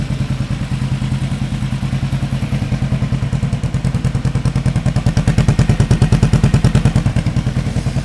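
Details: 1975 Yamaha XS500 twin, compression L 140 psi R 150 psi, tachometer reading off, before carb sync and rejet: heavy thumps about three a second with lumpy, unequal beats at idle; left cylinder carrying the load, twin running unevenly.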